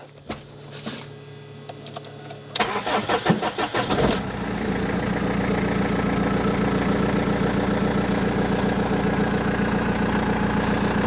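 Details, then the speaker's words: BMW E46 3 Series after fuel pump and pre-supply pump replacement, fuel system primed: about 1.5-second crank, then catches and settles into steady idle with no long cranking; normal quick start, loud exhaust. "That seemed to fire up relatively uneventfully. No ridiculously long cranking."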